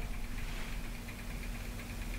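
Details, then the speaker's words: Skywatcher AZ-EQ Avant mount, RA axis motor drive after backing off the Allen-key tension adjustment to correct tension: quiet, even motor hum with no binding or jamming as the axis rotates; normal motor drive running. "so you back it off and as you can hear so now we've got the correct tension on that motor drive"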